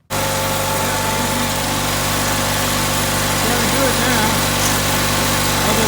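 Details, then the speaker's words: Onan CCKA twin in a Gravely 450 rider, first run after reassembly, light load: steady, even drone, no knocks or misses, engine sounds good; clutch linkage needs adjusting and governor sluggish, throttle cable suspected. "Well, it's working. Onan sounds good."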